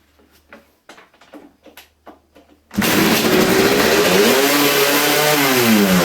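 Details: Kawasaki KX250 two-stroke, still needing carb tuning; after idle screw backed out to about double and throttle needle adjusted leaner, it restarts and revs keep creeping upward on their own instead of settling; idle hanging high, cause unknown.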